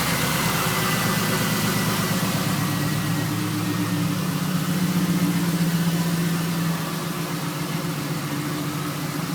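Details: Camaro SS V8 before engine removal, idling and revving; quick uneven tap following engine speed; rod knock from spun rod bearing on number three.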